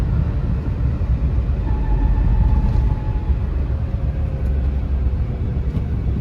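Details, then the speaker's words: Car gearbox under load in fifth gear while accelerating: low droning rumble with a faint thin whine drifting in and out, absent in first through fourth gears: worn fifth gear. "കണ്ടോ ഇതാണ് complaint കേട്ടോ അത് top ഗിയറിൽ അതായത് fifth ഗിയറിൽ മാത്രമേ ഉള്ളൂ അതായത് first second third ഫോർത്തിലൊന്നും ആ ഒരു നോയ്സ് വരുന്നില്ല"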